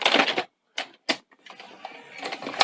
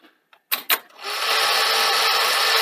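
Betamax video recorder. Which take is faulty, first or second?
first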